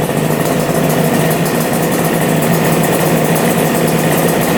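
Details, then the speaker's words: Engine restarted after refilling fuel, earlier suspected not running on right carb: smooth even idle with steady low burble, no misses or hunting, now running on both carbs and sounding healthy. "yeah I did [Music] oh that thing is insane yeah running good running on both carbs that sounds so good"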